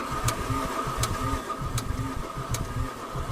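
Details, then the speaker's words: Free Mercedes 300D (603-type diesel per speaker), sat in a field three years with water in fuel, fresh fuel filter, battery and diesel: sharp loud click about eighty per minute over slow cranking, no start; stuck lifter, injector or low compression suspected. "that sounds kind of weird yeah that little loud Clank there's a lifter is stuck needs to get ran through tick dick that's a loud that a loud click"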